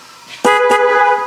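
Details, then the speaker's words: 2003 Chevrolet Express with no low beams; original low-beam headlight relay fitted in the horn relay socket as a tester; short loud clear horn blast with clean cutoff, so the relay is good: normal horn operation. "that works just fine relay tester said it's good"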